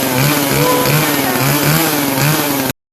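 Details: Poulan PP4218AVX chainsaw that previously started then died, after a parts replacement: steady, high buzzing two-stroke note holding even revs without stumbling; runs normally.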